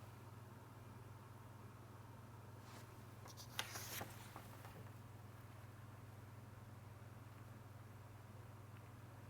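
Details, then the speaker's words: Dyson Pure Hot+Cool purifying fan heater running on its lowest setting: only a faint, steady low hum with a brief rustle, very quiet and smooth. "admittedly that is on its lowest setting but is so quiet so so quiet"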